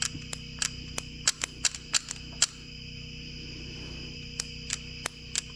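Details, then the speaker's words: Early-to-mid 1980s Ford 302 small-block V8 on a test start with points ignition: sharp irregular snaps over a steady hum as the coil arcs to ground through a hole in the coil boot, losing spark. "arcing from turn the lights back on from the boot where the coil's at"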